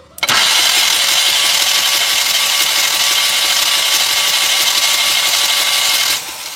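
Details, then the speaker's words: Mahindra Maxximo common-rail diesel, starting trouble, injectors removed and tested open: about six seconds of steady starter whir with no firing and no injector spray; cranks but won't start, traced to a faulty rail pressure control valve. "Injector ஓப்பனில் வச்சுருக்கேன். ஓப்பனில் வந்துட்டு injector fire ஆகலை, spray ஆகலை."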